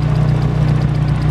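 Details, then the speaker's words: Chevrolet Corsa after rebuild, on its first long run from the tank, idling. An even patter over a low hum comes from ticking cylinder 1 lifters, which are expected to quiet down with use. "hay un quedó un botador sonando pero creo que se va a solucionar"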